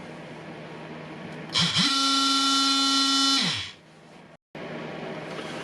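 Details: Milwaukee M18 FMT oscillating multitool after faulty bearing replaced with Makita 211392-4 sphere bearing: spins up quickly, holds a steady, even buzz, then winds down smoothly with no rattle; normal running.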